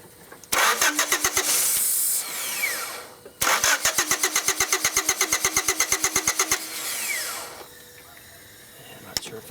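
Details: 1993 Honda Accord, intermittent no-start when hot, cranked from the starter S post with propane fed into PCV hose: even starter chug about three turns a second with brief catch but no pickup; cranks without starting, likely fuel-starved.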